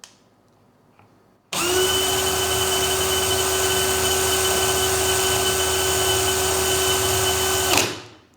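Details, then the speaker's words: DeWALT DCD999N cordless brushless hammer drill on a fully charged 1.7Ah PowerStack battery, speed 3, regular drill mode, no load, measured about 1977 rpm against the 2000 rpm spec: spins up to a steady even whine, then winds down cleanly. Normal no-load run. "kita mulai dari Speed 3 dulu ya kita lihat maksimalnya itu seberapa sampai nggak di 2000"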